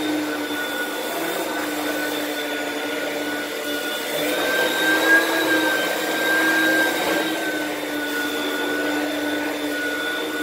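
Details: Used lightweight Oreck upright from Facebook Marketplace: a steady motor roar with a thin high whistle that wavers and rises midway. The weird noise is suspected to come from the brushroll or the fan; unconfirmed.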